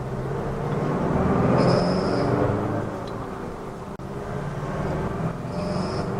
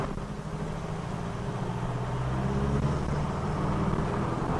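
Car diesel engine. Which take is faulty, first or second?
first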